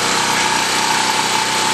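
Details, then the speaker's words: 196 cc 3250 W portable generator after two hours running, load removed: steady high buzz at constant speed with a fixed whine, no hunting or surging; normal unloaded running. "turn off the fuel valve now it'll take a few minutes what this does it allows it to cool down while it's running out the laughs with the fuel and so therefore the carburetor will be dry which is a good thing"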